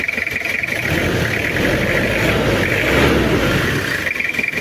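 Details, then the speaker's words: Toyota Kijang diesel, cold start before overhaul, oil-burning and compression leaking: rough uneven run with lumpy beat and knocking clatter rising and falling with revs; heavy smoke when hot; worn pistons and liners. "Masih dingin belum keluar as kemarin pas waktu panas itu asapnya Parah ini sampai dikasih karet biar enggak bocor ada suara pincang dan bubuk"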